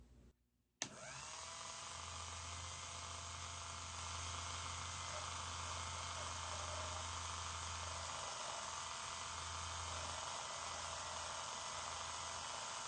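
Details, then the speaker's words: Rebuilt Elson-USA watchmaker's lathe on its first cut, hand graver turning a 1/8-inch brass piece: quiet steady low hum with a fine rattling buzz over it as the cutter chatters against the work; operator calls it chatter, cause suspected, not confirmed. "and I guess that's what's called chatter uh because it was chattering"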